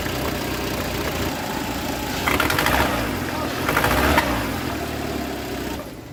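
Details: Citroen C4 1.6i petrol at idle with code P1339: rough, uneven, stumbling beat because a failed ignition coil leaves it running on only three cylinders (misfire).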